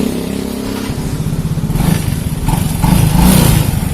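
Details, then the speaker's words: Yamaha Mio J scooter engine before teardown: rough rattle like a loose valve, growing louder as revs rise; mechanic suspects worn cylinder block or piston rings. "suaranya teman-teman Itu sekilas ada seperti bunyi klep yang kendor atau pernah sekali kendor tapi suaranya makin tingkat semakin kuat ya ini curiga saya ke blog ataupun ke piston Ring yang sudah Lombok"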